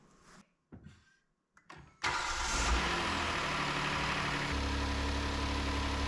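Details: 2019 Hyundai Santa Fe XL 3.3L GDI after serpentine belt replacement, before torquing idler pulley bolt to 62 ft-lb: short clicks and crank, then catches into even idle with no belt squeal or chirp.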